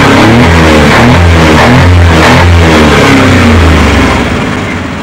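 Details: Suzuki Multicab F6A carbureted engine that would not start, now running after carburetor overhaul and cleaning, float valve and distributor adjustment: revs up cleanly and drops back smoothly, firing evenly with no misses or knocks, sounds healthy.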